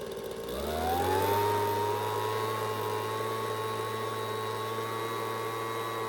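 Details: Homelite two-stroke leaf blower with high/low/off switch, no throttle, started on choke after primer bulb replacement: catches and climbs to a steady, even high-pitched drone with no surging or misses; running cleanly.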